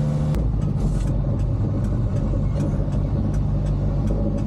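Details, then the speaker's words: 1970 Renault R6 on an onboard drive to its roadworthiness test: steady sharp indicator clicks, roughly two or three a second, over road and engine rumble, with the turn signal flasher speeding up as the engine revs climb. "C'est le clignotant qui accélère au fur et à mesure qu'on accélère."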